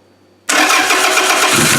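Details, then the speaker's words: A 1999 Toyota Camry demolition derby build with a simplified harness and a temporary fuel tank: key on, the fuel pump is audible, then the starter. The engine catches instantly and settles into a smooth, even run with no stumble or grind: a healthy start. "so there's your battery on here's your fuel pump you can hear the fuel pump and then to start it and here's the starter"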